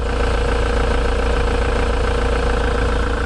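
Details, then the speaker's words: 2005 Ford Transit 350 LWB diesel van, 85,000 miles, ticking over: an even, steady, smooth idle with a low beat and no knocks, ticks or misses; the engine sounds healthy. "nice, smooth, steady idle is exactly as you would expect."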